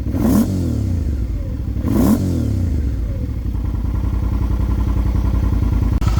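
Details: 2005 Suzuki V-Strom 650 with a low-mileage replacement engine (swapped in for rod knock) and a Scorpion muffler: two sharp throttle blips with a deep lumpy rumble, falling back to a steady loping idle with no knocks or rattles. Normal running.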